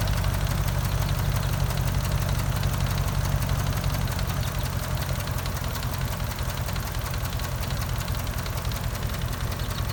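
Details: 2004 Dodge Ram 4.7 V8 with a cylinder 8 misfire since purchase, deep lumpy idle with a sharp tick about three a second; a shop couldn't find the cause.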